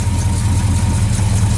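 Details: 1968 Ford Galaxie V8, hood off, cold start at night: deep low rumble at a steady, slightly uneven idle while warming up.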